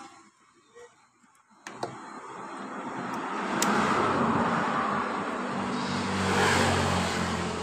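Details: 2015 Honda BeatPop scooter that stalled after a few metres with weak power: after key-on click, soft even whir builds and holds steady; normal fuel pump priming, pressure 42 PSI.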